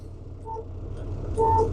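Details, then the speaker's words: Truck cab during Illinois CDL pre-trip inspection, engine idling: two short, clear blasts from city horn and air horn over a low idle rumble; both horns working properly. "Next, we have your horns. We got two horns, guys. City horn,"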